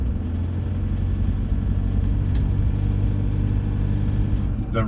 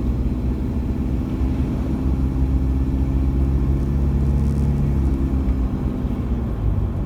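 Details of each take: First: Cold diesel after about one minute of running, driving back streets at 1500 rpm under very light load: a harsh, uneven "marbles on the piston" rattle over the rumble. Bad cold combustion rattle; cause unconfirmed. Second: Same diesel warmed up near full temperature, while driving: a steady, even, unremarkable clatter, just a normal diesel rattle now. The cold combustion rattle, possibly from injectors, is hidden once warm.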